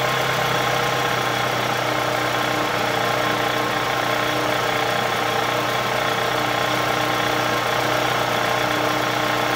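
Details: 2003 Toyota Camry engine, 200k miles, shredded belt replaced, tensioner not: steady idle with fast, uneven ticking about three per second, loud at different idles; lifters and camshaft, plus the timing idler, blamed; the engine was replaced.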